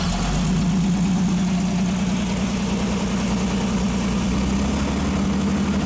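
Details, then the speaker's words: 1948 Nash straight-six with carburetor rebuilt and exhaust pipe fitted, running at low idle without the air cleaner: a low, even idle with a soft steady purr and constant hum; no misses, knocks or smoke; healthy. "okay hard to say what it sounds like on camera but it really sounds good no smoke whatsoever"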